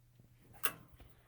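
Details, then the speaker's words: Hydronic hot-water baseboard heating (upstairs heats, downstairs doesn't, since fixed): a single crisp click as the zone valve motor engages with the pump running; normal zone valve operation. "goes just click I don't know if it's gonna fire I don't know if it's that cold but you can hear it and it is pumping"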